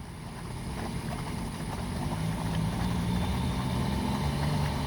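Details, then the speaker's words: 2012 Sea-Doo Challenger with supercharged 4-TEC engine, after jet pump cavitation repair: engine and pump rise from idle to a steady drone at about 4000 rpm with a strong even water rush; healthy thrust, no cavitation. "now we can see we're moving plenty of water what our PM is that that's about 4000 rpms so we've got a nice amount of thrust coming out of this thing"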